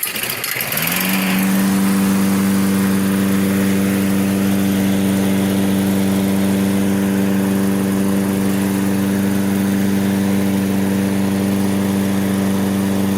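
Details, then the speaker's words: Toro self-propelled mower, Briggs & Stratton 6.75 (believed), auto choke, wouldn't restart when hot; after basic tune-up and fresh gas, starts on first pull and settles to even, steady hum, no misses or surging; normal running. "give it a yank first pull it's cranking up first pull see what it does as the engine heats"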